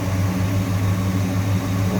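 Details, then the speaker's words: 1966 Ford Fairlane 500 GT convertible, 390 four-barrel V8 with four-speed manual, idling with a steady, even low rumble and no misses, knocks or ticks; engine runs smoothly. "noise with just a smooth running engine again 390 that's what this car would have came with four barrel on it"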